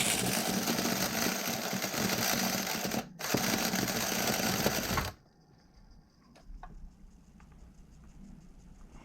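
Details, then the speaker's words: Vintage nitro RC engine (OS tagged) with good compression ("more pop than the HPI engine") and a working glow plug. The starter whirs steadily for several seconds with no pops, then stops; it cranks but won't fire and is judged dead. "I don't know why it's got more pop than that HPI engine does guys but it doesn't want to start up it will not fire over it won't even"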